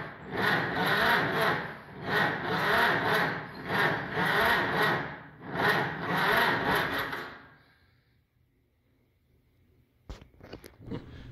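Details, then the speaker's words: 68-year-old auction machine that sat for years, with a stuck valve and antifreeze in the oil, in neutral with throttle and choke: slow, uneven, lopsided cranking surges and no firing. Owner suspects low compression on a couple of cylinders and old fuel. "It might be down on compression on a couple cylinders, it kind of sounds like, and that's not helping anything."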